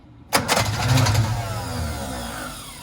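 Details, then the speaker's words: Barn-find Austin-Healey Sprite with fuel and spark confirmed but not starting, low compression suspected, oil squirted into cylinders through plug holes: sharp catch, then a few uneven firing beats that fade out; briefly lights off. "okay we have fuel and spark so the thing we're missing is compression i'm going to take the spark plugs out i'm gonna drop a little bit of oil in there that'll raise the compression we'll try this again hey we're on to something"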